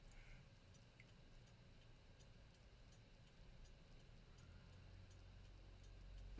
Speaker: sounds okay. Now it sounds a bit strange, but what I do is I use a stethoscope, an industrial stethoscope like this, and I can hear the beat much more clearly.